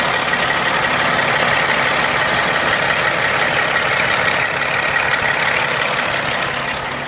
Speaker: everything looks like it's working starts nicely it sounds good